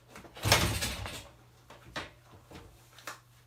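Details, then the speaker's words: Kawasaki F7 175cc dirt bike, old bike that has been flooding, spark confirmed, fresh fuel added, plug refitted: several quiet kick-over thumps with no firing or catch; won't start, cause not yet found. "Doesn't even sound like it wants to start."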